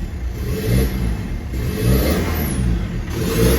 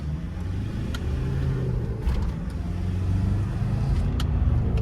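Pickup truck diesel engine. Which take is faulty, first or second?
first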